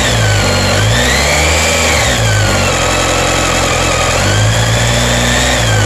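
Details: BMW K1300S engine revving up and down: a thin high screech rises and falls with revs over the exhaust note. The owner asks if this is normal; source not pinned down.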